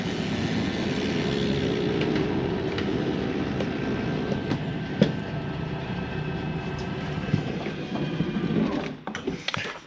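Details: Forest River Sabre 360QB RV slide-out retracting, interior: steady low motor drone with a few sharp clicks, no grinding; normal noise of the slide mechanism stopping itself from going too far in or out.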